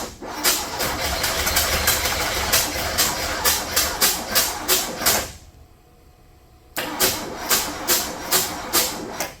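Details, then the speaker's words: Abandoned 1979 Ford Mustang, sitting since 1991: repeated rough cranking bursts about three a second, a pause, then more cranking that barely catches and won't run properly; starter sounds clean, owner suspects a worn-out carburetor, possibly junk in the cylinders. "I think I need to see if I can try a different carburetor. I think this carburetor's about had it."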